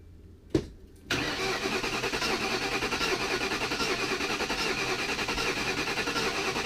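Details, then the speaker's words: 2001/2002 Lincoln Town Car 4.6L V8 after reinstalling the intake manifold with new gaskets and a leaking thermostat housing: after a click, the starter spins the engine at an even rhythm for several seconds but it never catches. Cranks with no start; the cause is not yet diagnosed. "well we've tried crank it over a few times not starting so we're gonna go back to school tomorrow and get a code reader see if we get any codes and diagnose it"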